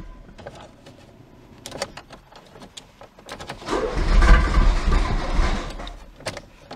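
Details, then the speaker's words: Citroën BX 16 GTi abandoned in a forest 7 years after hydraulic pump failure, first start on a fixed battery with fuel pump running; starter cranks in uneven bursts, engine catches and runs a couple of seconds then stalls without throttle. "started for a while first try... OMG, I was totally not ready for that so I wasn't ready to pull the gas pedal"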